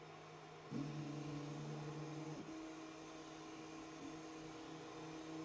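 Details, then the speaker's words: BIQU Hurakan bed-slinger 3D printer running Klipper, during motion and microstep tests: quiet buzzy tones jumping in pitch as the X-axis moves back and forth. Odd whine, thought to come from the hot end; origin unclear. "the x-axis is definitely making a very weird noise it sounds like it's coming from the hot end though"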